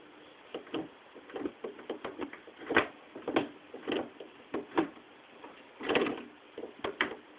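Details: Logitech G25 shifter: irregular soft dull thuds as the lever moves through gears, no sharp click at detents; shifter operating without clicking.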